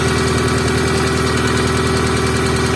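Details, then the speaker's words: Moskvich with Opel C20XE engine, cold start in freezing weather, after hydraulic lifters disassembled and cleaned, oil pressure normal: light fast ticking over steady idle, fading as the lifter pumps up; hydraulic lifter tick. "гидрик периодически затихает оно прокачивается что вот уже гидрид прокачался"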